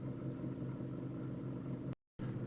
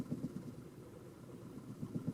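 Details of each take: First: Toyota Camry after battery disconnect, warmed up, in drive, AC off, after about seven minutes of idle relearn: low even rumble, no stumbles or misses, idle smoothed to about 750 rpm; normal idle. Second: Warmed-up Toyota Camry after a battery disconnect, before the idle relearn: low, lumpy idle with uneven thumping pulses and wavering level, car shaking and barely idling, then stalling, from lost idle learned values.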